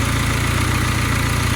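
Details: Honda D16Z6 engine, 420hp+ build, first start: loud, steady low rumble with an even, fast pulse, no knocks or misses, settling into a smooth idle; timing still to be adjusted.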